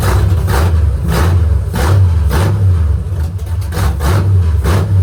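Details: "53" V8 vehicle (Trash Can) after rebuild, first start on straight headers with idle set low: lumpy idle with loose clattery lifter rattle over each beat, worst at low rpm, easing with a bit of rpm; valve lash suspected misadjusted, covers to be pulled.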